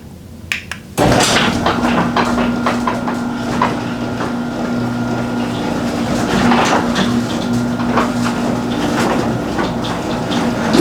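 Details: Garage door after fitting new nylon rollers with roller sleeves on all 10 rollers; about ten seconds of travel with a smooth motor hum and only a faint muffled rattle, quiet operation after the fix.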